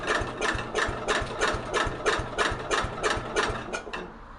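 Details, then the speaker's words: 1964 Cub Cadet 70 garden tractor with new engine, cold start at about 10 degrees on a battery jumper charger; slow, labored cranking about three turns per second that stops without firing, a weak battery. "like 10 degrees out here bud so are you kidding me the battery didn't sound good"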